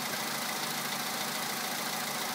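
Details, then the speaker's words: VW Polo sedan 2011, 64,000 km, 98 petrol, +2°C, cold idle: quick, even knocking ticks unaffected by load; after switching to Liqui Moly Molygen 5W-40 the knock lasts slightly less, grows longer with mileage; cold-start knock, cause unknown. "После замены стучит чуть меньше по времени. С пробегом стук становится более продолжительным."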